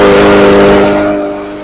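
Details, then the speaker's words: Murray EX550 push mower with a Briggs and Stratton engine, sat over winter and would not start. After a carb clean and draining the fuel it runs on fresh non-ethanol gas with low, dirty oil. Steady, even single-cylinder drone; runs smoothly and sounds healthy. "All right, that sounds real good."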